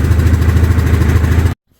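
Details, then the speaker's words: 2023/2024 Yamaha Grizzly EPS ATV: deep, fast, even engine pulsing with a clattery rattle over it, then it cuts off. Owner suspects the CVT belt wants to jump off the pulley; abnormal drivetrain noise, cause unclear. "I don't know what that noise is but I don't think it's supposed to sound like that to me it sounds like that CVT belt wants to jump off the pulley"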